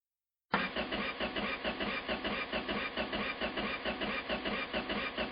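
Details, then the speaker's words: Carbureted engine, first start attempt in the car: even starter cranking a bit over two beats a second with no firing at all; crank no start because the rocker arms were never installed. "Uh-oh. What did we forget? Oh no. Well, I don't know if any of you figured it out, but yeah, we didn't put any rocker arms in."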